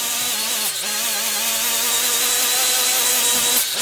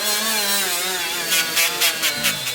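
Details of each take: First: Milwaukee 90-degree die grinder (part 2485-20) with a Scotch-Brite surface-conditioning wheel removing gasket: high steady whine sags briefly each time the wheel bites, then recovers and spins down; running fine. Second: Milwaukee 90-degree die grinder (part 2485-20) with the biggest Scotch-Brite pad: high grinding whine bogs and cuts out in bursts as the pad loads up; grinder stalls, beyond the tool's accessory limits.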